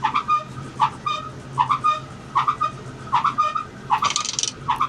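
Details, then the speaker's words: Metrotrak crusher conveyor with 100mm missing off the belt spilling material: sharp chirping squeal about every 0.8 s at the tail drum; worn tail drum bearing, which visibly moves, or debris stuck between drum and frame suspected. "You see how we're getting a lot of material coming out the side of the belt? That's because there's 100mm missing off the belt. That noise you can hear is the tail drum bearing."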